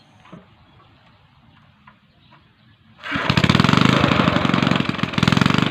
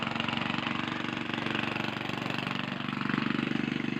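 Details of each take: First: Small gasoline engine fires after about three seconds, then hunts up and down roughly every 1.5 seconds; surging idle blamed on a rotten carburetor, proven by swapping carburetors between two engines. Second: Gasoline engine: even, steady putter at about four beats a second with no misfire, surge or knock; engine running cleanly.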